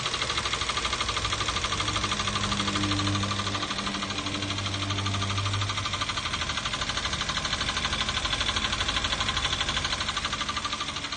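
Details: 2012 Toyota Avanza 1.5 L 3SZ-VE four-cylinder petrol at idle: even, persistent ticking knock about three beats a second, unchanged after oil change and all four spark plugs replaced; source not yet found.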